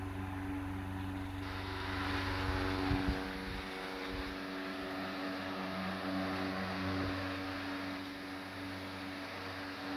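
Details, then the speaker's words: Late-1910s/early-1920s Marelli Bisa 12-inch oscillating table fan started on high: distinctive startup, steady low motor hum under rushing air, one clunk as the oscillator engages, then even, powerful, healthy running. "it's got a very cool startup sound and lots of power"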